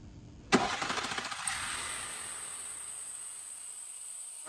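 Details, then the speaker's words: VW Touareg EA837, rebuilt 2020, about 200,000 km, before repair: quick rattle over the first second of start-up, then idle; timing chain tensioners failing. "那只有89就是张紧器的声音了，因为现在油压上来了，现在其实也有，后面就有这声音啊，有确实有张紧器的声音，现在也有"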